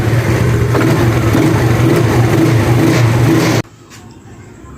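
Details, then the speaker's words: Yamaha Mio Sporty carburetor scooter, after needle jet replacement: crisp, even rev at half throttle with no stumble, dropping straight back to a settled normal idle; more responsive. "bisa kita dengarkan ya bagian langsamnya sudah normal gasnya juga ditarik setengah juga dia nggak brebet ya terus dia lebih responsif ya"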